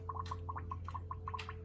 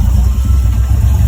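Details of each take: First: 1973 Firebird with LQ9 swap and 6-speed manual, filling cooling system with deionized water before first start: irregular bubbling gurgles, two or three a second, over a steady low hum as air remains trapped. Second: LQ9 V8-swapped 1973 Firebird with a 6-speed manual, with the choke found stuck open: deep, even burble with a steady low pulse, no ticking or knocking, judged quite nice, though it later stalls. Temperature readings of about 81 °C were taken afterwards.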